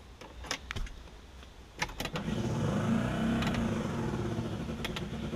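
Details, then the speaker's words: 1966 Ford Galaxie 500 convertible under restoration, battery just hooked up: clicks, then the heater blower motor drones up with a slight uneven flutter, sounding dry and rough; owner says it needs lubricating or oil but works. "like the heater fan needs lubricating but it works"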